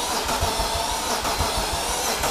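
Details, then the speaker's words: Wrecked 2005 BMW E46 330i ZHP, 6-speed manual, engine damaged in crash, jump-started on extra batteries: starter spins engine in quick even pulses, about six a second, but it never catches; tank found nearly empty of fuel. "there's no gas no like yeah there's like barely any gas there's like no gas in here now we know what's wrong with it and I got no gas in it"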